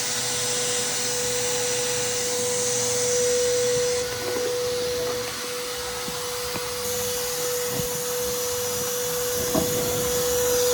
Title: Vacuum exhaust leak